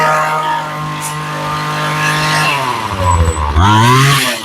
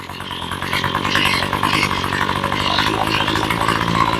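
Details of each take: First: Ryobi two-stroke string trimmer after carb rebuild and new fuel lines: idles, then bogs briefly each time throttle opens before winding up; owner suspects the mixture and adjusts carb. Cause not confirmed. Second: Ryobi ES30 two-stroke trimmer after carb rebuild and new fuel lines, low screw backed out a quarter turn: fairly steady buzzing idle, slight waver, no stalling or bogging.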